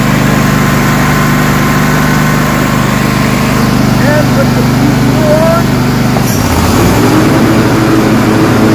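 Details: Craftsman DGS 6500 mower, Kohler Pro 26 hp V-twin that was puffing smoke, after carburetor reassembly, on a little choke: even idle with a steady low beat, no hunting, smooth speed change; now idling properly.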